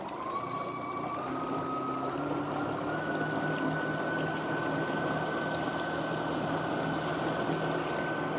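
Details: Remigo One 3 hp-equivalent electric outboard at top speed, microphone on the boat: steady high whine that climbs a little then holds over water noise; running smoothly.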